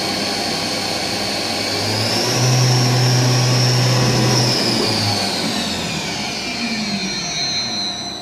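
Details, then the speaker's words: VMC milling machine spindle, no tool fitted, run in MDI up to about 7,500 rpm; smooth whine rising with speed, holding at full revs, then braking evenly to a stop in about 3 seconds, healthy. "half I also like the spindle brakes from uh full RPM to to hold it's like 3 seconds without any tool"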